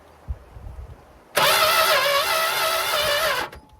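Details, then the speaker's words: Dodge Monaco barn find, sat for decades with next to no compression (rings suspected stuck); fast, even starter whirr for about two seconds that never catches, no spark seen; connections and coil to be checked; cranks but no start. "no spark so check the connections and switch out the coil and see what happens"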